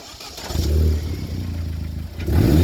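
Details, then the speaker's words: Vauxhall VXR turbo, before fitting a recirculation valve: engine blips up and falls back with a rough, uneven note on lift-off, the sound when the recirculation valve is messed up or disconnected. "we're gonna take everything off oh yeah no yes we are okay so this is where it sounds like when the reset valve is messed up"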